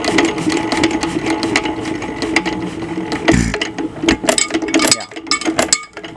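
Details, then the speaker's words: 1926 Nelson Brothers hit-and-miss engine: governor arm held in to latch exhaust valve open; no firing beats, only clicking valve gear and rattling linkage as the flywheel rolls down and the engine coasts to a stop. "remember this arm on the governor is what latches the exhaust valve open if I hold this in the engine will eventually stop if I just hold this"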